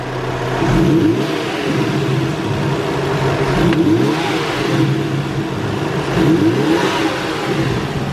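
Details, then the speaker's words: Stock 1JZ turbo Toyota Crown JZS171 with the airbox lid off, before unplugging the blue sensor plug. Repeated revs with a faint fluttering whoosh on each lift-off: normal revving with slight turbo flutter. "Yeah, so you can hear a slight one, like a slight whoo-hoo-hoo, but it's not as loud."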